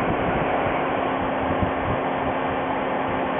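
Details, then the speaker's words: 2000 VW Golf Mk4, 2.0 AEG engine, AC not working: steady loud rushing whoosh of the cooling fans, no cycling; a possible symptom of a faulty AC pressure sensor. "these fans are now on at high speed this is showing high pressure to the fan control module so it's turning these on at high speeds"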